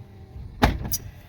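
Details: Lincoln Continental front vent window without the fix: a quiet motor hum broken by one sharp, loud clunk as the glass starts moving, then a lighter knock, from the regulator binding.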